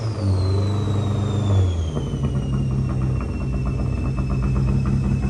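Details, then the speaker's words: Mitsubishi Evo wagon 4G engine with the stock crank sensor refitted after a new one failed: it fires and idles steadily with a falling whistle. It later stalled after about five minutes and now cranks without starting; owner suspects mechanical compression loss. "hear that like it ran it idled for about five minutes and then it essentially turned off and now crank no start same situation same everything just won't run"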